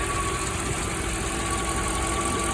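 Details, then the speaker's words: Mercedes E420 V8, warm, after ticking began following rebuilt throttle body reinstall and a drive to nearly 5,500 rpm: smooth even idle with steady exhaust rumble, at most the faintest tick, clearly better than before; normal idle. "Maybe the faintest sound over here still. hard to tell, but I mean, definitely noticeable from where it started."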